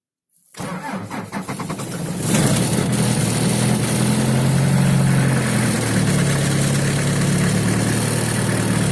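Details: Diesel car cold start below -30°C: a slow, labouring crank that struggles, briefly fires and stalls, then catches with a little throttle once the glow plugs are off and settles into a rough, steady idle; hard cold start.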